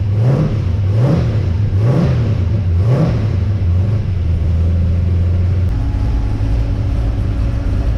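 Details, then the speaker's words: XG ute after fitting CNC-ported heads and a VCM 13 cam, fresh oil, warming up: four crisp rev blips rising and falling cleanly, then a steady even idle with no knocks or ticks; healthy. "so how good does that sound"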